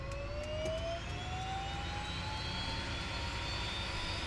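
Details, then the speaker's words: Pilatus PC-12 NGX turboprop, three weeks old, cockpit during engine start after starter switch pushed, battery minimum 24 VDC, both fuel pumps active: steady whine climbing smoothly as the turbine spools over a low rumble; normal start. "starter switch push momentarily checked and now the engine is starting"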